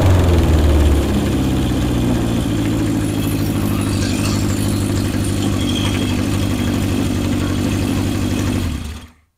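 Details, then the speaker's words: 1977 Honda CB750 four-cylinder chopper after carburetor syncing: pulls up cleanly and holds an even, smooth note with no misses or rattles, carbs sounding well balanced; runs great. "this is a great running backe just looks good sounds good runs good rides even better"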